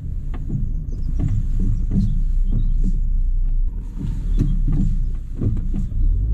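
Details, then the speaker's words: Fiat Punto with loud knocking when turning left and right at slow speed: heavy irregular clunks over a low rumble, like a train over tracks, suspected worn strut top mounts; broken springs still to be checked. "it genuinely sounds like a train going over train tracks"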